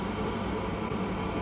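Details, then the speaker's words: Old Glow Worm Micron 50FF boiler after repair: steady, even fan hum with low drone and soft airy hiss, no squeal or whine; the stiff fan motor shaft was freed with WD40, ending the whirring and intermittent no-start. "all right it sounds a lot better doesn't have that like pitch kind of squeal"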